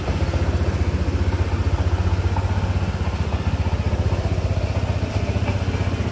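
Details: Honda ADV 160 scooter just after engine oil change (about 800 ml), running a few minutes before rechecking dipstick: even low putter at about four beats a second, steady with no knocks or rattles; idle sounds fine.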